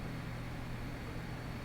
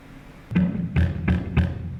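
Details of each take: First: Swampdonkey OctalPus guitar amplifier, no pedals, recorded with camera mic in a quiet room: faint steady low hum and soft hiss while idling; very low, clean noise floor. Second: Guitar through 35 W Watson Electric OctalPus amp into a P15Q speaker, camera mic only: chords turn muddy and flapping with fuzzy rattle under each strum after the speaker blew, its wattage rating lower than the amp's.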